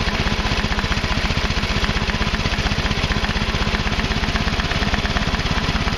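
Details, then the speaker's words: Craftsman Hydromatic mower, 15.5 hp Briggs and Stratton OHV, after the overfilled oil was drained to the correct level: it putts along at a steady, even beat with no misses or knocks. Normal running. "As you can see, obviously it runs now that it's got the correct oil in it and stuff."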